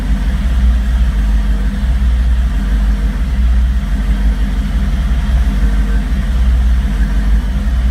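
Low, lumpy idle with an uneven beat under a steady rumble and a brief blip of revs; the engine is idling rough. Cause suspected, not confirmed.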